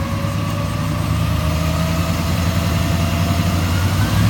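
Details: 2001 Chevy Silverado 2500HD 8.1 V8, after repair: a smooth, even idle with a steady drone and no ticking or squeak. The noise was exhaust pinholes, patched with JB Weld, and a leaking driver-side exhaust manifold gasket, now fixed.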